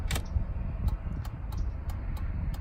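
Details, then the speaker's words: 2003 Chevrolet Suburban, new replacement flasher module (old one intermittent, skipping): crisp relay clicks, uneven then settling, over a low hum; long first blink, quick blink, then standard pattern; flasher working normally. "the first blink it's quicker I notice it we got a long a long blink than a quick blink and then a standard you know pattern to it"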